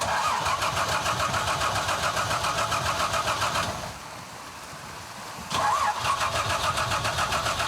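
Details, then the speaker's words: Carburetted car that stalled at a remote river crossing: two bursts of fast, even starter cranking, but it never catches; the fuel filter or poor-quality petrol is suspected, and petrol will be poured into the carburettor to test. "Jego samochód zgasł i nie chce odpalić."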